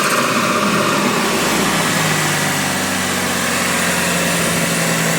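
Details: Mitsubishi Evo 2 with swapped Evo 7 big-turbo engine, after power steering hose repair: even, steady engine note with a smooth rapid pulse and no knocks or rattles; healthy running.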